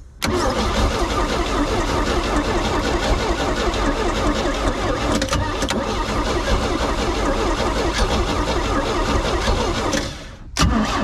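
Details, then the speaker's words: Flood-washed Bayliner boat engine starting on starting fluid after getting spark at the points: loud ragged running with sharp pops, backfiring through the intake; oil milky, fuel smells half usable. "well whoa there she is a little backfire at the intake over my hand and a fuel coming up through here smells half usable"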